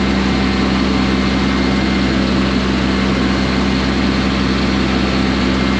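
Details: Combine diesel restarted after seeming dry on fuel and being cranked a couple of times, fuel pump heard priming; steady low drone with an even, unbroken beat, no knocks or misses; running smoothly.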